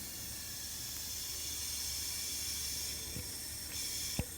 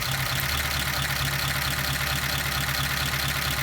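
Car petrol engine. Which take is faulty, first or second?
first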